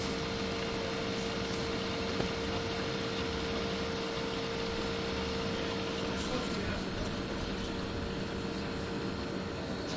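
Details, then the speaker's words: Air conditioner with Tecumseh pancake compressor, recorded near the compressor with fan off: soft steady hum, faint constant tone, no knocks or rattles; quiet, normal running, blowing cold. "It's cold. I'm amazed at how quiet that Tecumseh pancake is."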